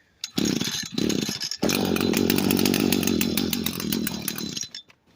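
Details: Echo SRM 225 two-stroke string trimmer that wouldn't start, run after cleaning a part and choking: buzzes a few seconds then sags and dies, bogging and not holding speed; slightly improved but still dies out.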